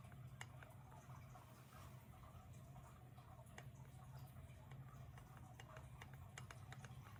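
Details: Trek Fuel EXE 9.7 with TQ HPR50 motor, pedalled hard in manual or any assist mode: sharp, light clicks or creaks at pedal frequency over a low rumble. Owner first suspected the motor mount; the cause was a loose chainring.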